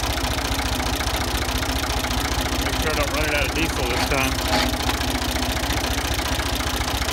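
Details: Ford 2000 diesel tractor idling on Diesel Purge, with a weak battery: steady, fairly even knock about a hundred a minute over the clatter; owner suspects bad injectors and hopes the purge cleans them.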